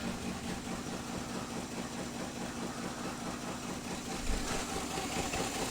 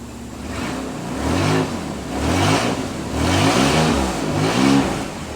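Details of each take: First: Nissan Z31 during coolant pressure and compression leak testing: uneven, stumbling idle with irregular lumpy pulses, not firing properly; cylinder misfire because spark plug wires for cylinders four and six were swapped, fixed by swapping them back. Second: Nissan Z31 engine, not yet warm, after swapping back mixed-up spark plug wires 4 and 6 and refitting the coil wire: revs blip up and settle cleanly with an even beat and no misfire; now runs much better, normal running.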